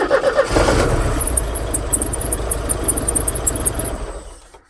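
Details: 1985 Porsche 944 with battery and oil lights but no fuel pump sound, cranking during injector pulse testing with a noid light: starter turns about four times a second with a high squeal, no start. It then started on its own; DME/fuel pump relay suspected.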